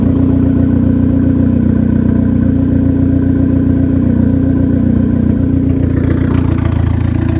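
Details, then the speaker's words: Car's first start after installing a Walbro 255 fuel pump and a catch can (video also covers 525cc injectors and a manual boost controller): smooth, even idle with a steady low rumble and no knocks or misses. The engine runs healthy, and no leaks were found afterward. "so now we'll go ahead and start it see how it does [Music] sounds good let's go check for leaks"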